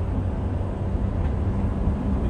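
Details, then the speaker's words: 2007 Honda CR-V on a freeway test drive after replacing the rear passenger-side wheel bearing: steady low tire and engine rumble at cruising speed with no rising hum or wind-up drone; normal road noise, the fix worked. "so here we go shouldn't hear that uh wind up noise"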